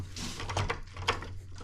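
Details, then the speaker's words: Razor C35 SLA electric scooter, loose stem at the folding mechanism/headset, before adjustment: irregular hollow clunks about two a second as the stem is rocked; play in the folder. "Now, we're going to go fix the other part in the headset. So, you can see how loose this is."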